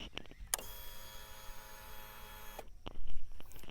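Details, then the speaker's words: Royal Enfield Classic 350 at key-on: steady electric whir about two seconds then cutting off, the fuel-injection fuel pump priming, normal. "सबसे पहले , यह आवाज मूल रूप से ईंधन इंजेक्शन की आवाज है। यह आपके इंजन के अंदर लगे फ्यूल पंप की आवाज है।"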